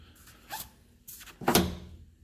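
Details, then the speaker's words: Two-CV car on a lift with stuck brakes, wheel turned slowly by hand: light plastic ticks and rasps as a loose zip tie hits the fender; the sticking was a seized front parking brake. "what is that making that noise the zip tie hits the fender"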